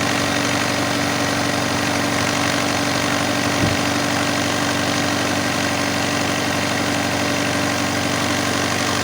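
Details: Alfa Romeo 156 Twin Spark idling at about 2,000 rpm, down from the reported 4,000 rpm; steady raised hum well above normal idle. High idle.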